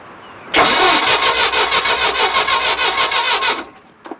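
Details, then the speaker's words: 1968 Starcraft Islander 23-foot cuddy boat, 120 hp Mercruiser inboard/outboard, barn find, on a jump starter pack reading 12.1 volts: brisk, even cranking at about three compression pulses a second for three seconds; the starter spins it hard, a strong healthy crank. "That thing whips it over like it's a fresh charged battery. Boy, oh boy, you gotta love that."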